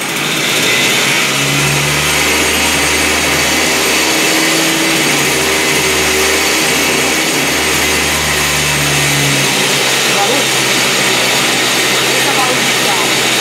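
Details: Toyama TG30FT 57cc two-stroke engine for a drift trike, warm, with a new throttle grip and cable to the carburetor slide: it buzzes crisply and rises and falls cleanly with the throttle. Response is healthy.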